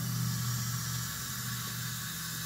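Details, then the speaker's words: Pontiac engine after flat-tappet cam break-in, during a cylinder air pressure test: a soft, steady hiss of normal air escaping past the piston ring end gaps, not a leaking valve. "that's normal that's the Rings there's gaps on both ends of the ring so you're going to get a little bit of a air Escape by the ring and there's that's just the way it's supposed to be"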